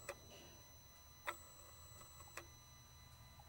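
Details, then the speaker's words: Mercedes Sprinter van losing power, unable to exceed 40 mph uphill, engine running during actuator test with mic held close to the intake swirl flap motor: sharp single clicks about once a second, unevenly spaced; swirl motor suspected jammed, motor itself possibly good. "so the noise you heard it's it sounds like oops it sounds like the the SWR motor is jammed okay the motor itself could be good"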